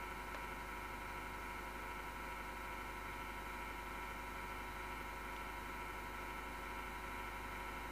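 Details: MSGW Plutos desktop PC power supply fan: steady rough whirring with constant gritty drone and vibration, no speed change, recurring after months, gone after overnight off; worn PSU fan bearing grinding.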